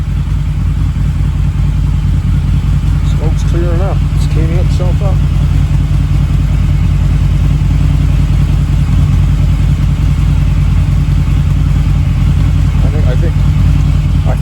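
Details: Harley V-Rod, about 16,000 on the clock, restored with throttle body fitted, fresh 91-octane fuel and new battery, first start in at least 4 years: deep even V-twin throb, clean blips, no misses; smoking fading as it warms.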